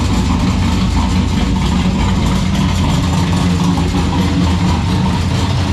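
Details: Turbo Ecotec V6 drift car, first runs: loud lumpy idle with tinny metallic rattle from a loose part in the exhaust, traced to the Y-pipe or rear exhaust, rattle stopped when the electric cutout was switched.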